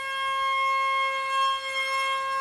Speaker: Whoa, do you see the, okay, so let's see how much, whoa, that's a pretty good amount of power.